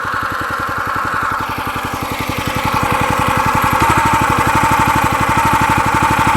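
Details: New log splitter's small engine, which owner says vibrates at idle and can stall; about four even thumps a second with a buzzy rattle from a loose plate shaking against the frame.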